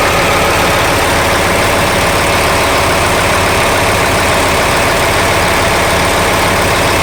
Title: check engine abnormal sound